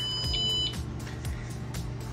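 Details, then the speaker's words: ZF throttle/shift control head on a 46ft Azimut yacht, powered on during actuator programming after a faulty actuator was found. Two short high beeps over engine-room hum, ready to take command. Normal power-up tones. "going to turn on the power and now you can hear the two audiable tones so we're going to take"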